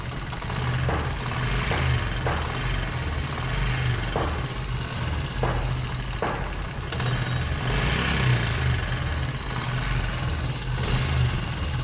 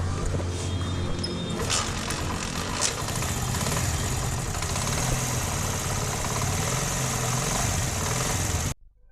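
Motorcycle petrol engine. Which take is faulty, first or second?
first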